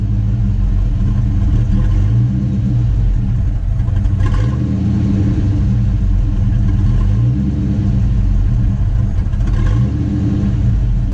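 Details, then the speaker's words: 1985 Ford Mustang LX 5.0 convertible, engine-swapped automatic, parked three years, cold start: deep, even V8 rumble with a couple of light throttle blips, no knocks or misses; healthy, owner doesn't think head gasket is bad. "but man this thing sounds so good i'm very excited"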